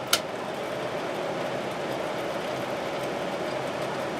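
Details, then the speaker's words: 1972 GE Slumberline 6,000 BTU window air conditioner with the fan only on medium, drawing 1.97 amps, compressor off. A steady, even airy whoosh with a faint mid hum and no knocks or rattles: the fan motor is running smoothly. "1.97 and high 2.63 that uses a lot of power just that fan motor alone"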